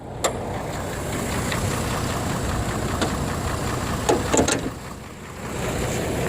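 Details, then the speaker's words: Chevrolet Trailblazer with a slight engine knock, after replacing the electric cooling fan clutch to cure running hot, warm idle on a 90°F day, hood open. Steady whooshing rush of air as the fan pulls hard through the radiator; clutch now engaging properly. "it's about 90 degrees out here today and i can actually hear the fan now blowing air sucking it in"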